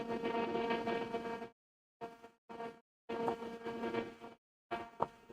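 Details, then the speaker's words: Tektronix 1240 logic analyzer from factory surplus, first power-up; loud, steady fan roar with low hum and mid-pitched whine cutting in and out, self-test completes; unusually loud cooling fan. "Are we gonna get power? Oh, we got something. Wow, that's loud."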